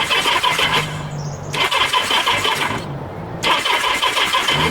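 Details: Kawasaki Z650B restoration, battery fully charged, starter clutch possibly tired: three bursts of starter cranking about a second each, engine never fires.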